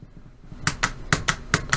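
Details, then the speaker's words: Solenoid leads touched to three snapped-together 9-volt batteries giving 27 volts: sharp dry clicks, about six in a second and a half, with a spark at contact; the solenoid activates normally. "you get a bit of a click, and maybe you can see this spark there. Yeah, there's the spark. So we're getting a click from the solenoid. So that solenoid's activating with 27 volts."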